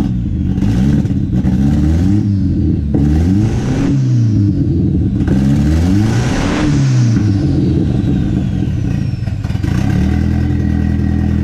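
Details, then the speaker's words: Built KA-T turbo engine in a 240 with new Pulsar PSR 3582 turbo, running after nearly 2 years sitting: repeated throttle blips, each rev stumbling, clearing up a little more each time during fuel tuning; rough running under revving. "what I'm doing is doing a little bit of fuel tuning trying to get it's a clear up so just lay out and listen you can hear it clear a little more each time"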